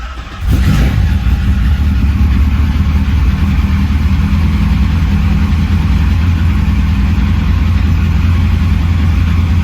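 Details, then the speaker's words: TVR Cerbera 4.2 V8 cold start (eight injectors, no cold-start injector): quick crank, catches within half a second and settles into a deep, even V8 idle. It holds steady without needing throttle. "So when they are cold, they may need a little bit of gas. This one doesn't need a bit of gas to keep it running, but that is something to bear in mind."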